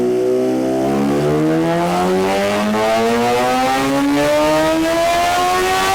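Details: 2017 Suzuki GSX-R1000 sportbike, ride-by-wire, after ECU flash adding 4.4 degrees ignition timing; test ride under varying load listening for knock. Clean engine note climbing steadily in pitch under load, no pinging or rattle; normal acceleration, no detonation.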